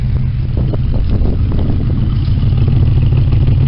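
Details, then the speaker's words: 1972 Chevy small-block V8 with dual Thrush mufflers, cold start: deep steady burble smoothing into even idle around 550 rpm, no knocks or misses. "thing it smoothes out as you can hear see what she's running that 550 right now this has got dual thrush mufflers on it and it says straight pipes"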